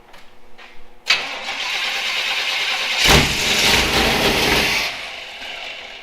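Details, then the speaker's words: Jeep Wrangler YJ after long sitting, first start of build: steady starter cranking that briefly swells but never catches; injectors pulsing but no fuel pressure, fuel pump judged bad. "no fuel the pump's bad it ain't pumping"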